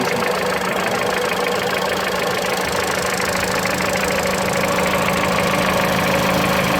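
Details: Mitsubishi Lancer X, 4B10 1.8 engine with CVT, idling: a fine repeating tap of about three per second rides over the engine; knock occurs only at cold idle, source not pinned down.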